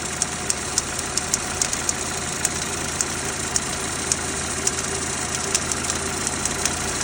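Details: Renault Duster 2.0 (F4R) 2017, cold start. A light, fairly regular ticking knock over the idle lasts about two minutes after starting, then stops until the next morning; the source of the cold-start knock is not identified.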